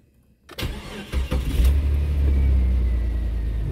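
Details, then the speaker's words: Jeep XJ 4.0 inline-six, first start after new fuel injectors and a fuel-rail heat shield: a short crank catches within about a second and settles into a smooth, even idle with no noticeable misses. "right sounds good so far let's check them seems to be running smooth no noticeable misses"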